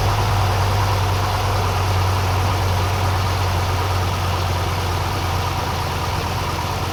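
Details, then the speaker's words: Cold-start idle of the GM LS4 V8 in a Pontiac Grand Prix GXP, right after replacing the spark plugs and wires: a smooth, even low rumble with an unbroken pitch, no missing or ticking. It runs okay and occasional cold misses are normal. "seems to be running okay. As usual on the first startup when the motor's cold, and this motor was cold when I did this, you're gonna get a miss here and there, but that's normal."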